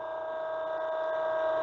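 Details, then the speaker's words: MF 200 cavitation trainer hydraulic pump in normal condition before pressure is raised toward 700 psi: quiet, constant mid-pitched hum holding steady, no screaming or rattle; healthy pump, everything working properly. "all right everything's in perfect working condition here"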